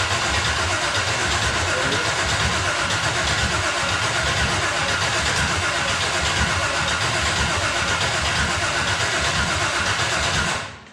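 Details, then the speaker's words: V8-swapped GMC Sonoma, off the road since October 2005, first start attempt: long cranking with rough uneven popping out the exhaust, never catching; making spark but suspected at the wrong time, distributor timing or loose plugs suspected, unconfirmed. "I just now hear one snapping out of the exhaust and snapping out of"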